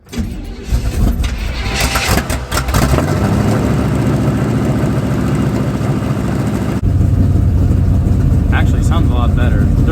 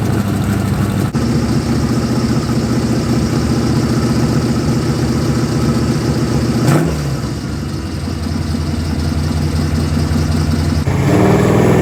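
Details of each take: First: 1985 Chevy square body pickup with budget small-block Chevy and Brawler 650 carburetor, two pumps before start: cranks, fires and settles into a deep steady idle, no ticking or puffing; exhaust leak welded, minor leaks possible at unclamped joints. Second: 1985 Chevy square body with budget-build small-block V8 and Hedman headers, idling with a throttle blip: rough, chuffing exhaust note from exhaust leaks just past the header collectors, before welding repair.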